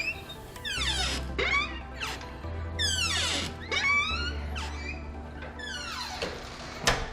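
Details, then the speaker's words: Front door before treatment: repeated high, gliding squeals as the door swings, from dry hinges. WD-40 is then sprayed on the hinges. "so to kind of give you some contacts on the amount of squeaking we're talking about let's go ahead and listen to squeaks a lot"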